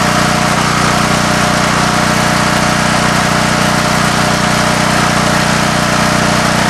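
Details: Coleman Vertex 7850 W vertical generator, 15 hp Gentech Pro overhead-valve Briggs & Stratton, electric start, new battery, in the family since 2000: loud, even drone at steady governed speed, regular firing, no misses, knocks or hunting; normal running.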